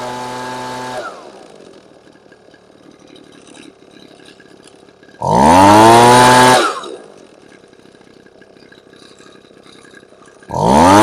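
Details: Husqvarna 125B two-stroke leaf blower during carb tuning: thin, weak idle between sharp throttle blips that flare up fast; running lean on idle mixture.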